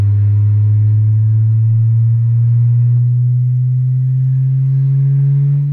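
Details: Ashley LF 18 V400 18-inch subwoofer after burnt voice coil replaced with a 2 saff coil: low-frequency test sweep from about 20–25 Hz gives a clean, deep rising tone with no buzz, rattle or scraping.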